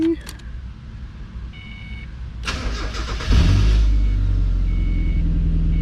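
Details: Mazda Miata just fitted with new exhaust, slight bumper gap but no contact: short crank catches at once, smooth steady idle with even low exhaust note; healthy normal start and idle.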